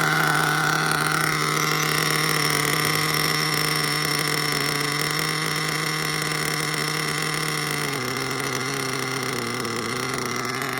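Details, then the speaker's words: Mugen MBX5 1/8 nitro buggy, preheated, after sitting 14 weeks put away wet: shrill high idle that keeps creeping up instead of settling; still rich up top but leaning down low, so lean running. "Definitely still rich up top. But definitely leaning down low."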